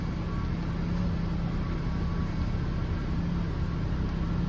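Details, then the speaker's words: 2003–2007 Honda Accord 2.4L idling after power steering pump replacement and bleeding lock to lock; steady low idle with no whine from the new pump, steering much better. "no more whining from this steering pump. And the steering is much, much better."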